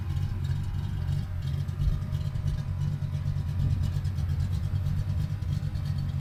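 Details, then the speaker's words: 1983 Ford Fox-body notchback coupe 5.0 V8, cold start with a gas pump: low, lumpy idle with uneven rumble and wavering pitch; owner blames the non-vacuum-advance distributor for poor cold running, says it idles fine once warm. "Because of the non-vacuum advanced distributor, it doesn't run amazing when it's cold. Now it'll idle good once it gets warm, but right now it's pretty cold, so we'll see."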